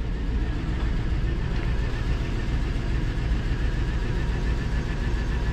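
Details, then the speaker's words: GMC Yukon Denali LS V8 auction pickup, first start: steady idle rumble with irregular stumble in the low beat; engine misfire at idle. "start her up she looks dead oh [ __ ] not dead it's misfiring y can hear it's misfire it's easy though it's LS"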